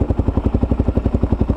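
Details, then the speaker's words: Kawasaki KLR650 after full carburetor rebuild and Eagle Mike doohickey change, warmed up at idle: steady, even single-cylinder thump with no lean bog and no chain thrash or rattle; engine much quieter than before. Normal idle. "hey guys we're back out sitting here idling perfect i see red dot we're good to go temperatures come up no lean bog sounds sounds good"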